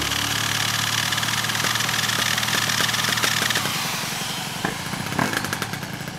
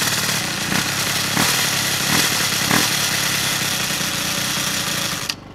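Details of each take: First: Piaggio Zip SP 70cc two-stroke (Stage6 cylinder, Malossi MHR crank, Polini Evo variator, PVL ignition, 2.5% mix) rebuilt after 15 years stored, after tightening loose variator, choke off: rev drops to crackly idle, metallic scraping gone; normal idle. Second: Piaggio Zip SP race scooter: Stage6 70cc cylinder, Polini Evo variator, PVL ignition; first start after 15 years' storage, on 2.5% mix. Harsh, rattly high-pitched scraping over the two-stroke buzz until shutdown; owner suspects a loose variator or the kick gear scraping it.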